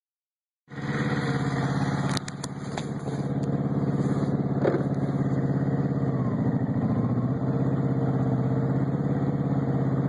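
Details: Kawasaki VN750 V-twin idling with an uneven, irregular extra noise over its beat, clearest around 10–13 seconds; abnormal engine noise of unknown cause.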